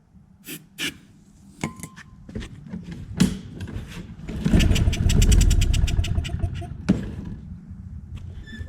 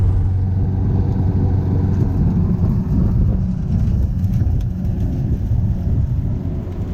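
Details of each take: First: Free Craftsman push mower during diagnosis, with spark and compression confirmed: several pull-cord tries, then a short burst of rapid firing on starting fluid that dies within seconds. Carburetor not delivering fuel; plan is to rebuild it, drain the tank and add fresh gas. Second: Free Craftsman push mower, after a first-pull cold start: low, steady engine rumble holding under load without stalling or surging; normal running.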